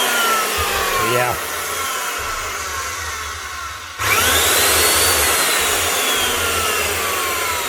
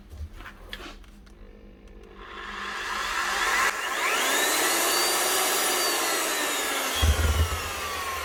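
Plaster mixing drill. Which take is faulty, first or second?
first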